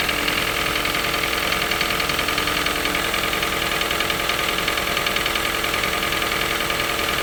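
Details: Toyota 1NZ-FE engine at cold idle: a sharp, fairly regular tapping about three or four times a second. It happens every morning and fades within minutes, but may rattle slightly when very hot after 2–3 hours of city driving. The cause is unknown.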